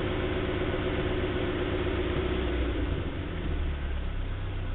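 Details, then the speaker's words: 1956 Morris Minor 950 engine, cold, idling at 1,000 rpm with 70 psi oil pressure before removal: smooth, even low idle with no knocks, misses or strange noises and no tailpipe smoke; runs healthy. "sounds good that's at a thousand rpm so it's cold but it runs like that all the time as you can see there are no strange noises nothing wrong with this motor"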